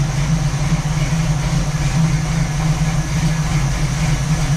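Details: 1967 Camaro SS clone V8, parked since 2000, first startup after revival with a couple gallons of fresh gas: deep, steady idle burble with even low rumble, no knocks or misses; idling normally.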